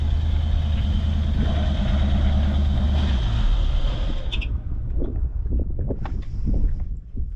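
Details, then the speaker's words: Foxbody Mustang 5.0 302 V8, heavily sludged, with 1987 plug wires, which previously fired then died. It runs about four seconds, then the note collapses and dies abruptly like ignition cutting out; spark loss suspected, possibly a bad fusible link. "and I think we might have lost our spark again let's see [Music]"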